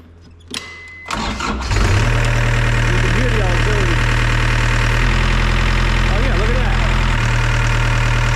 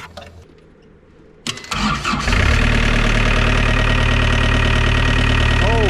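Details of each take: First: Circa-2000 Gehl CTL60 compact track loader diesel: heavy strained drone shifting as controls move because third-function auxiliary hydraulics stay on and deadhead; cause unknown, electronic joystick control or physical fault suspected. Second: ~2000 Gehl CTL60 compact track loader diesel starts with its bad solenoid bypassed by jumpering in a new ground and positive: quick crank, catches within a second, steady even idle. Solenoid, positive and ground were all faulty; normal start and idle.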